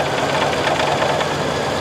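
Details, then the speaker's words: LT van after timing corrected from about 20° off and mass air flow sensor reconnected, motor mount shot: steady but ragged idle with light clatter and shake; running rough, owner thinks it still needs less timing. "I think it needs less timing still but it is running that is freaking awesome"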